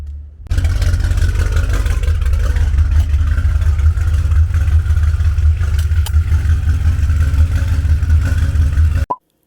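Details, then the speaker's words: BMW, twin turbos just reinstalled: steady, deep even idle, no ticking or puffing, confirming no exhaust leak after the repair for lost power. "Let me fire her up again. Oh man, she sounds so good compared to what she used to sound like."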